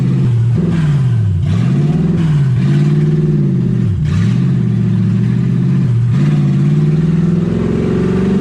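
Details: 1UZ V8 Ford Falcon, warm with radiator hot and temperature about 160, first drive: the idle keeps surging up and dropping back every second or two, never settling. Owner unsure why; hunting high idle.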